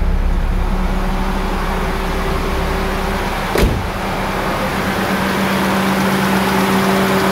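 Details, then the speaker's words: 2002 Kia Visto idling with the AC on after the idle speed control valve was cleaned and resealed to fix surging revs; constant pitch with no hunting or shudder, one brief clunk; idle stays stable, no vibration. "nyala Agas masih stabil tidak ada getaran waktu kita mati nasi biasanya RPM tidak turun"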